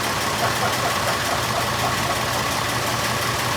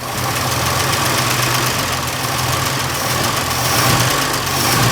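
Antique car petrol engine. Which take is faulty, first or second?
second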